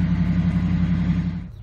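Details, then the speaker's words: 1997 Ford F-150, warm, DTC P1506: steady, smooth hum idling noticeably fast and not settling; fuel trims near zero rule out unmetered air, and the idle air control valve is sticking in its bore and has lost control of idle. "so what's going on here is the iak is actually sticking in the boore and it has no control over"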